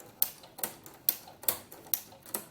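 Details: Inspire ruffler foot on a sewing machine set to gather every six stitches, 4 mm stitch: crisp evenly spaced clicks about twice a second over quiet running, normal operation.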